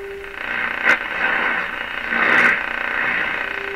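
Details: Silvertone 7054 tube radio with a new dial string, at full power after a restricted-power start: a steady mid-pitched signal generator tone comes through clearly over light hiss and some crackle. The receiver works normally.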